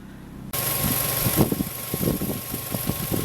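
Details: 2008 Mazda 5 that previously would not start, after repair: engine catches and settles into a steady, even idle with no misses or knocks, running normally.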